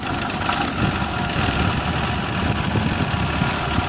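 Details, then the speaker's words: Suzuki Carry 1.0 at idle: rough, diesel-like sound with rapid klotok clattering knock, first suspected as an engine fault; traced to the timing belt cover rattling where it meets the cylinder head. "Ini kita stasioner jelas banget suaranya, Lur. Ada suara klotok-klotok ataupun kasar."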